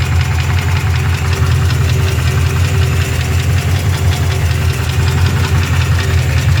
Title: 350 5.7 Rebuilt Engine Knock